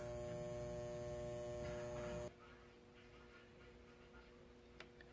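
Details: 1947 Sentinel 294T radio, speaker output transformer fed directly from a 120 V outlet: a steady mains hum with buzzy overtones, much quieter on the second transformer; both give only 4–5 V on the secondary, cause unknown.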